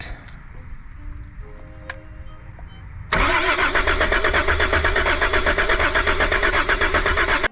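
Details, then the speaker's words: Volvo 740 D24t turbo diesel, glow plugs wired straight to battery: fast even cranking about four beats a second, never catches; all six glow plugs found bad, bus bar appears shorted to water neck. "guess there absolutely is a way I have six bad glow plugs"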